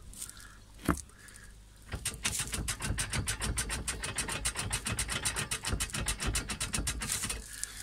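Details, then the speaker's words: Manual gearbox with lever in neutral: quiet, fast, uneven metallic rattle at roughly three to four a second; owner suspects a loose gear shift linkage, cause still unclear. "сейчас получается рычаг на нейтралку ставишь его какой звук"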